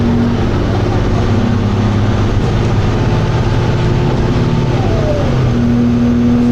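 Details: Dennis Arrow diesel bus (fleet 31918, P418PVW) under load; steady drone drops then settles at a new pitch as the automatic gearbox kicks down a gear, heard onboard alongside grinding noises.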